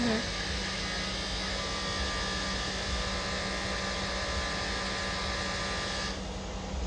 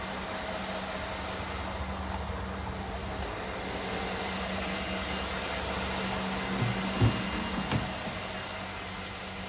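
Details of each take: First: 2013 Mercedes GL550 (X166), front right, compressor triggered by scanner: loud steady buzz from an overheating AIRMATIC air suspension compressor, usually at cold start; suspected damaged valve block, and compressor and valve block replaced. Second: 2013 Mercedes GL550 (X166) AIRMATIC compressor after replacing it with a new Arnott unit and a new valve block: low, even pump hum, some noise but no buzzing or rattling; normal air suspension compressor operation.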